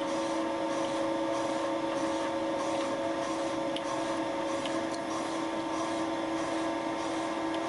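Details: Light boring cut with Wohlhaupter UPA5 head on a Thiel Duplex 158 mill, enlarging a friction-melted plastic lawn mower bearing seat; fixed diameter, quill auto feed 0.12 mm/rev; steady hum with two even tones, no chatter: normal boring cut.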